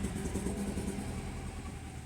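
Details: 2012 BMW 528 with N20 four-cylinder, towed in for drive malfunction errors and rough running, coils scoped: idles normally then stumbles with an uneven lumpy rumble from a misfire.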